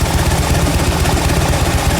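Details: Fuel-injected Harley-Davidson V-twin after repair of a no-idle/stall problem with a P0152 over-rich rear cylinder code, now cleared: deep steady loping rumble with even beat and no stumbling; idling normally, blow-by smoke from vent tubes.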